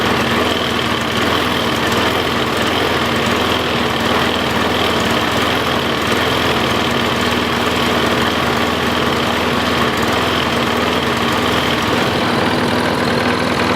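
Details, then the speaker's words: Troy-Bilt Tough Cut 220 21-inch self-propelled mower, bought non-running, now running after straightening a possibly pinched fuel line. Smooth, even single-cylinder drone holding steady speed with no surging or misfires: normal running. "So it ran out dry, which is good. It ran pretty strong. I mowed around the backyard a little bit, played with it,"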